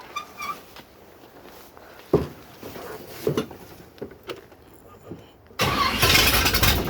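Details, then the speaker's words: 1967 Corvette with new lifters: short stumbling crank bursts with no catch, then a ragged rumble; hard start after the distributor adjustment retarded the timing. "Yep, didn't like that. Shit, it's still off. Normally by now I have it started."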